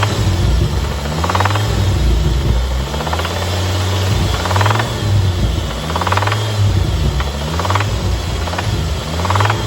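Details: Focus ST 225 Mk2 engine running with a deep, rough knocking underneath. Recorded the day before the engine let go from main bearing failure and needed a new engine.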